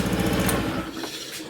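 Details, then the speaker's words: Honda Vision 110 scooter fitted with a new replacement engine after the old one became noisy at 19,200 miles, oil changed: a quick, even single-cylinder putter that runs smoothly then dies away, with slight vibration noted up top. "um yeah it's all finished one is lovely it's very very smooth now"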